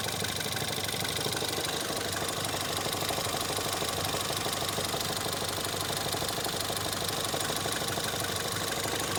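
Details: Ford Fiesta ST 180 EcoBoost at idle. A steady deep knock repeats about three times per second; Ford blames the clutch release bearing, but the noise stays whether the clutch is pressed or not, and bearing damage is suspected.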